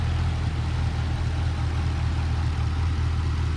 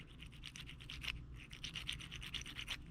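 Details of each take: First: 2012 Camaro SS LS3, about 160k miles, after replacing all lifters to cure an idle squeak, warmed up while burping coolant: deep, even idle rumble with no ticking or squeak; valvetrain quiet and healthy. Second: 2012 Camaro SS LS3, about 160k miles, squeaking mostly at idle; a removed roller lifter is twisted by hand and gives quick dry squeaks in short bursts from play in its worn needle bearings, identified as the source.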